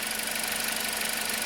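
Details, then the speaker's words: 2009 Toyota Corolla 1.8 L after repair: steady, even idle with no misfire or shaking; the P0302 misfire and flashing check engine light were caused by a defective ignition coil, replaced along with the spark plugs. "the engine sounds a lot better it's not misfiring anymore the engine is no longer shaking"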